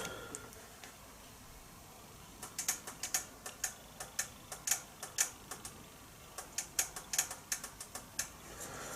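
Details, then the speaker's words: Nissan transmission solenoid pack bench test for P0745 pressure control solenoid A, solenoids pulsed with power in a quiet room: sharp, crisp clicks in uneven bursts, this one slightly different, likely stronger three-arm solenoid; normal solenoid operation. "sure you can hear the click in there just just a slightly different clicking noise"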